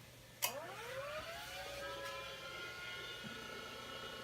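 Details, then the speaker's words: Old Amiga A590 hard drive, described as 20 to 30 years old, at power-on. A sharp click, then a rising spin-up whine and a steady high whir; weird startup sounds, cause uncertain, though it then boots from the hard drive. "Uh-oh. It's making weird sounds. The hard drive is making weird sounds. That scares me."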